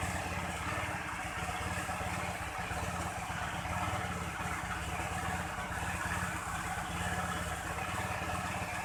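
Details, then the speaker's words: Automatic scooter long stored in a warehouse, hard to start: steady even idle with white smoke, no knocking; left idling to lift oil from crankcase to cylinder head, worn piston rings suspected, unconfirmed. "Ini kelihatan asap putihnya, nanti dicoba apakah sehernya kena atau gimana. Biarkan hidup stasioner dulu untuk mengangkat oli dari crankcase naik ke silinder head."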